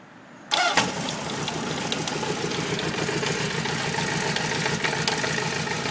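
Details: Honda CB750A motorcycle cold start: rough busy idle with faint knock that fades after warm-up but stays faint at low idle; problem seemed to be carb synchronization, with sync and a full tune as the fix.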